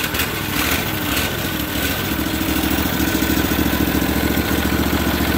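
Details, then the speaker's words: Briggs & Stratton overhead-valve engine on a 450-hour 4016 tractor; runs unevenly, beat wavering instead of picking up, stumbling, smoking and choking off; oil-soaked air filter starving it of air. "so it's acting like it doesn't want to run it's stumble in the fall and it's smoking it chokes off"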